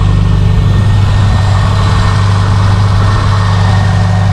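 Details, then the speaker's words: Subaru STI big-turbo cold start after the cracked exhaust header was fixed: steady deep idle with an even rumble and no ticking or puffing. The manifold is still fairly loud, but no exhaust leak is heard. "oh it is so much quieter guys than what it was still definitely a louder manifold but let's crawl under here i don't hear anything though that sounds so much better guys"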